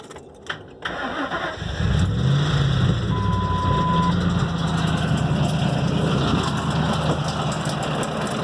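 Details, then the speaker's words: 2004 Ford Expedition 4.6 L V8 cranks, catches and settles into a rough, loud rattling run with a deep uneven throb, nearly stalling at idle; owner suspects timing chain or a lifter, unconfirmed. "alright got here 2004 expedition 4.6 liter its maker the crazy rattling noise not sure if it's a timing chain or could be a lifter"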